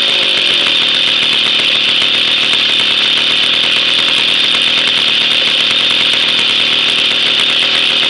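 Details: Jawa 50 type 05 with a 1966 engine, first start after 20 years of storage and a rebuild, no break-in, with original points ignition and coil: high, buzzy two-stroke note, steady and even with no misses or rattles; normal running.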